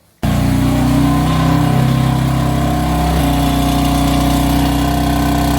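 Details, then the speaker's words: BMW F80 M3 cold start: a loud, raspy, buzzy idle with a coarse rattle over the exhaust note, heard for a month or two. The owner suspects worn exhaust flap actuator motors; recorded before replacing them. "about it's nasty dude it sounds horrible so we're going to get that fixed today"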